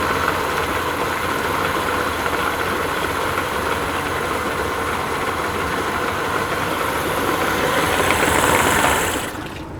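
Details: Yamaha 50 outboard at idle after replacing a worn, hardened water pump impeller that caused overheating at idle: steady, even, smooth beat with water splashing; runs cleanly with no knock or miss, and water comes up.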